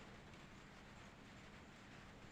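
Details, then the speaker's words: Honda Beat FI scooter, ignition on after replacing the dropped battery with one from a Honda Blade: fuel pump priming with a faint, steady low hum, sounding normal, with no injection fault. "fuel pump juga untuk Budi dengungannya kedengarannya normal ya teman-teman tidak ada gangguan untuk injeksi ya teman-teman ya"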